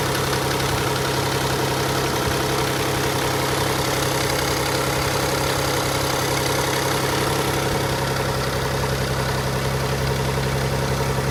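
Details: Nissan Fairlady Z Z32 twin turbo, hydraulic lash adjuster noise. A fast, uneven ticking rattle over a steady idle at about four per second; the rattle is louder right after a cold start than after warm-up.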